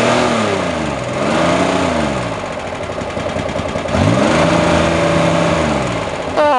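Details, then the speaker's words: Corvair Monza flat-six, oil-burning, pulling away: revs stumble and sputter unevenly, running rich and not firing on all six; owner later hears it running on five cylinders, then all six again; rich running misfire. "turn off the interior lights and hope you stop sputtering and runs an all six running rich why is she running"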